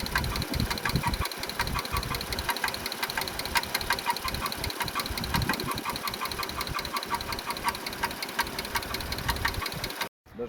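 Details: 2016 Dodge Grand Caravan with a sharp, fairly steady ticking knock of a few per second over a smooth idle. The source is not yet found; the plan is to pull the intake and rear valve cover and inspect the camshafts.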